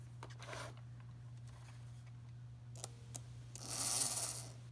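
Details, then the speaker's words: Märklin SK 800 toy car motor from about 1945, restored after being stuck: steady low hum with a few light clicks and no stumbles; running smoothly after restoration and electrical tests. "so we're running pretty well now so I think we're good with the electrical tests"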